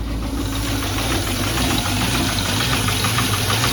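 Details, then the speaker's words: Salvage-title Mustang with the MAF sensor unplugged: the idle sits low and lumpy, with uneven chuffing about twice a second, near stalling, when a high idle was expected. It recovers when the signal returns; desired idle is 800 rpm. "it'll probably idle very high huh oh now I've got a low idle but"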